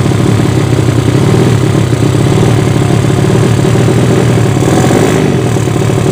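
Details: Yamaha Vega ZR with swapped Mio cylinder, 200cc, 66mm piston, standard stroke, Tiger cam, open header exhaust, test run after long storage: loud, raspy drone at fairly steady speed; carburettor not yet set, running quite lean.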